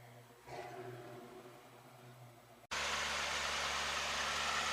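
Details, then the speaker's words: Stock 1987 Pontiac Fiero GT, 2.8 V6, just under 70,000 miles: a steady, even low rumble once it fires, with smooth, regular pulses and no knocks or misses. A healthy V6 idle. "the exhaust is completely stacked but for all and all I think it sounds pretty good for a 2.8 V6 all stock"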